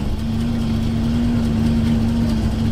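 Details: Camper van that had failed to start even with booster pack, now running after ignition power restored: steady even low idle, smooth drone, no misses or knocks; normal idle.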